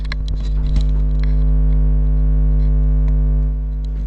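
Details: Toshiba Satellite P850-31L laptop with charging fault, being tested after removing a faulty chip; fan spinning up with a steady, low, even hum and no scraping or rattle, running normally.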